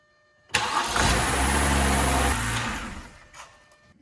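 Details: BMW 328xi 3.0 after starter replacement (old starter only worked when tapped): brief crank, fires straight away and settles into an even, steady idle; starts and runs normally.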